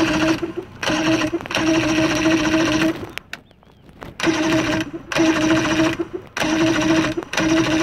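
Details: Engine tested outdoors in the rain: starter whirs in steady bursts with a buzzy tone, pausing between tries; engine turns over but never catches; crank, no start.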